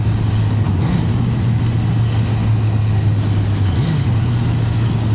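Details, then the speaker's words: Suzuki GSX-R1000 K1 motorcycle with stock exhaust, riding on MOT day: strong, even low drone rising in pitch as it pulls, no knocks or rattles; healthy engine, though seals leak. "and that stock exhaust sounds good as well like it have a little look at this beauty but yeah I think that's uh it sounds great it really does pull"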